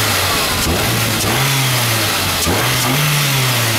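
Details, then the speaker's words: After intake manifold runner flap removal to cure a knocking/ticking noise, first start: two quick throttle blips climb cleanly and drop straight back to steady idle, no clanking or ticking, idle unchanged without adjustment; engine revs freely and healthy. "that thing's really revving way faster than it ever [Music] did"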